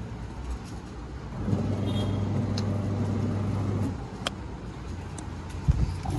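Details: Washing machine after replacing the worn coupler (panja) set: low steady motor hum for a couple of seconds as the tub turns smoothly, no knocking or slipping; earlier a timer fault made it stop mid-run.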